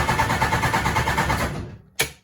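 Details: Classic Mini with Hayabusa 1400 dry-sump engine, fired a second then died: starter cranks in quick even pulses for about 1.5 s, never catches; crank no start, no fuel, fuel pump power suspected, not confirmed.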